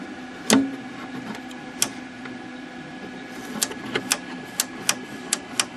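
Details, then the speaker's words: Packard Bell MQ625 vintage portable tube TV, just switched on: irregular sharp snaps and sizzling crackles over a faint steady hum; the power switch, which also feeds the filaments, is arcing. "something is something is up with this power switch you can hear it sizzling the power search Dos the filaments too"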